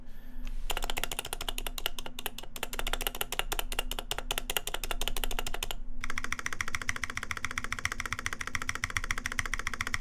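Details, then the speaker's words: Mechanical keyboard typed fast; the stabilizers are unlubed but silenced, and a faint metallic wire rattle is heard on the longer keys. "It is silenced though, so it's a little bit better. But you can definitely hear the wire rattling in there."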